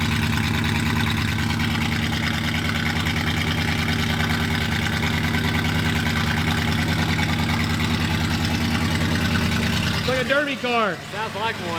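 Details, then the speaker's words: 1965 Buick LeSabre V8, sitting 34 years, started with the broken muffler removed: loud, raw, uneven idle rumble with hard pulsing bark from the open exhaust; seems to run better but too loud. "it's a little too loud what do you think I don't know it seems like it runs better don't it I can breathe now yeah"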